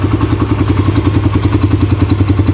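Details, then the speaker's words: Yamaha XTZ 125 with replacement STX 125 carburettor, after float valve adjustment cured overflowing and misfire, check-engine wire removed: even single-cylinder thump at idle, steady beat with no stumbles or skipped firings, now running clean. "So ayun mga bayai, soundsck ulit tayo kung wala na bang palyado. Yun. So okay na mga bayai. So wala na siyang palyado."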